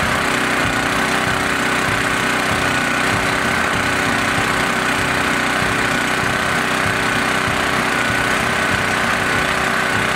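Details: Small single-cylinder engine stored three months on 14–15-month-old pump fuel, no additive, about half a tank; steady, even drone, no stumbling, surging or misfire; runs cleanly despite old fuel.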